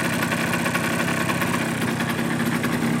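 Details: Suzuki GP100 two-stroke running on a test rig with an adjusted float, second test, hot: a dull, continuous rattly knock under the exhaust note from piston slap as clearances grew; a rebore and new piston are planned.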